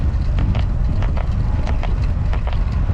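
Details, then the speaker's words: Bike near end of a 35-mile ride: paired light clicks about once per pedal stroke under heavy wind rush; annoying saddle creak, cause not yet found. "But I do need to look at my saddle. I don't know if you can hear it, but it's bloody annoying."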